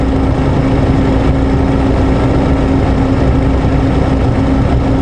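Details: 2003 Honda Accord 2.4 idling just after start: a steady whining hum. Voltage was dropping to about 11.5–11.9 V and the thermal camera shows the alternator over 250 degrees, so it is a failing, fried alternator.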